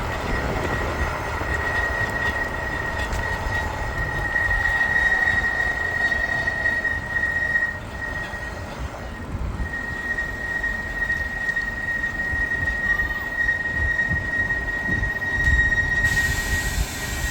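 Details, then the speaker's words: Lectric XPedition e-bike, 3 months and 400 miles old, rear disc brake with stock pads and original rotor: loud steady high-pitched squeal under light braking pressure; ceramic pads on the front stay quiet. "uh in particular the stock pads have been producing high-pitch squealing at lighter brake pressures"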